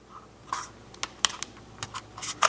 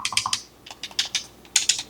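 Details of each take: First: Used Asus ROG Ally X handheld with cracks in its plastic shell from previous opening; sharp creaks and squeaks as the casing is pressed and flexed. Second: Used Asus ROG Ally X handheld: crisp, quick button clicks in small bursts with no rattle or mushiness; buttons tactile and responsive, normal.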